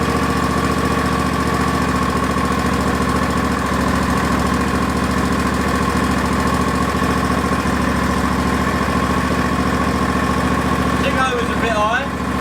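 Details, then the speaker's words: Hayter barn-find ride-on mower, just revived and running smoky after choke use: an even, steady twin-cylinder putter at constant speed with no popping or missed beats. The engine runs nicely. "so at least we know that it runs and it sounds pretty nice it is runni"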